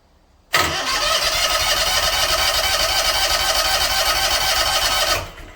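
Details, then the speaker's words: John Deere Z920M mower engine, after a repair lasting over six weeks, test-started with fuel line reconnected before refitting the clutch assembly; it starts right up and holds a steady, even rumble with no knocks or misses, sounding healthy. "Sounds good, doesn't it? Yep."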